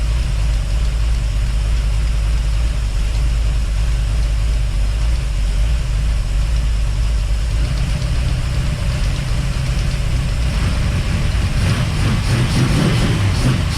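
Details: 1955 hardtop V8 with HEI, restarted after reinstalling the fuel pump: a loud, lumpy idle with a steady clacking tick at engine speed. The owner suspects the fuel pump, and the noise is still present.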